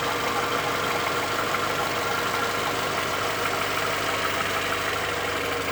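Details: Audi A4 1.6 ALZ engine at idle: a dull knock repeats about three times a second over the engine hum; something inside the engine is knocking, cause unclear.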